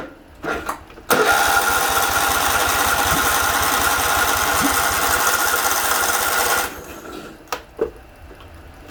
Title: Kohler CV20S Won't Start